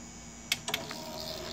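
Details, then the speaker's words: Anet A8 3D printer: the extruder stepper motor, moved from its own dead port to the X-axis port, clicks sharply, then whirs faintly and steadily as it moves, showing the motor receives signal and works normally. "that it does receive signal and it actually does move"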